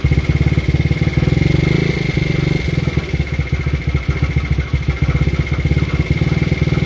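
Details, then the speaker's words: Taotao GY6 50cc scooter after new starter, first run in unknown time: uneven, lumpy pops surging and sagging on throttle; owner suspects vacuum leak and sticking carb; rough running. "let's take throttle sounds like it has a vacuum leak somewhere but it is throttling up sounds like the carb is getting very stuck"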